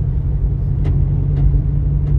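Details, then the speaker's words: Ford Ranger 3.0 Power Stroke at 175,000 km: a constant low droning growl felt at the gear lever that worsens when 4x4 is engaged. The cause is transfer case chain noise from worn gears and a slack chain, not the gearbox. "Escutou esse barulho do câmbio aí? Pois é, Ford Ranger Power Stroke com 175 mil quilômetros rodados. O cliente veio até nós relatando esse barulho absurdo aí"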